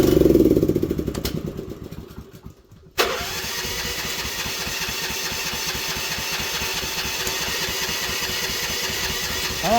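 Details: Manlift engine on a cold 41°F morning, electric choke: starter churns unevenly for about three seconds before the engine catches and settles into a steady idle; hard, reluctant cold start after it left the operator stranded.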